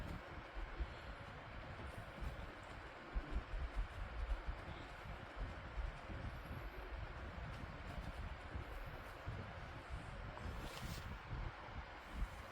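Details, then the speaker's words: Lasko model 2501 12-inch desk fan from 2009 after cleaning and replacement motor; on high speed, a steady airy rush over a low hum, slower than the old motor's high, with no rattling, ticking or scraping: normal high speed running. "Yeah, that's really whipping the air now. Now, once again, the high speed was a lot faster to what it is now."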